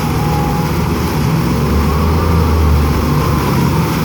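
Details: Chaparral VP boat with dual props, load test at speed after repairs: steady deep drone at even pitch over rushing water, no knocks or misses; engine pulling cleanly under load.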